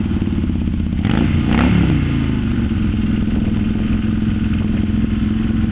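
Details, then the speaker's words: 1972 Yamaha XS2 cafe build, rephased crank and cam, Pamco ignition, kick-only, custom Pandemonium pipes with Bub mufflers, approaching outdoors in cold weather; throaty twin rumble with clean rev blip then steady run; sounds mean and healthy. "Alright, here comes old Tevo. Man, that thing sounds mean, doesn't it?"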